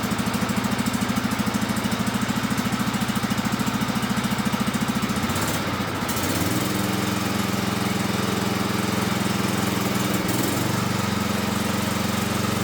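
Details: Cub Cadet mowing tractor after spring tune-up: small single-cylinder engine pulsing steadily, settling to a slightly higher even speed after a few seconds, no knocks or misfires; runs fine.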